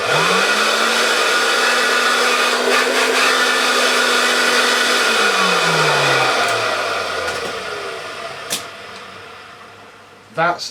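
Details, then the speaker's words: Hoover Junior 119 vacuum after cleanup: steady high motor whine at one pitch, smooth wind-down with no rubbing or rattle; motor is fine, earlier noise came from the brush roll. "fine all the whole world noise was from the brush rod itself which is very good because it's a lot easier to fix"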